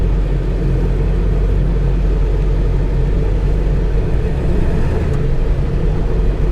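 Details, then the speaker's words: 1999 Ford F250 7.3L turbo diesel, no check engine lights, just fired up after a bent steering stabilizer was removed: deep, steady, even diesel rumble with no knocks or misses, a healthy idle shortly after startup. "love the sound of a diesel. You really do."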